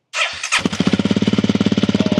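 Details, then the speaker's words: 2022 Honda CRF300L single after installing Yoshimura RS-4 full exhaust, new metal may smoke: starter whir then crisp even thumping idle at about fifteen pulses a second; rattle is the license plate; normal startup. "Oh, that sounds. Oh, that sounds good. It sounds rattling, but It's the it's a license plate. Ah! That sounded really good."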